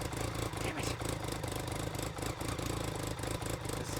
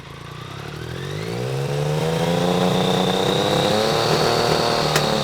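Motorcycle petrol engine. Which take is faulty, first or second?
first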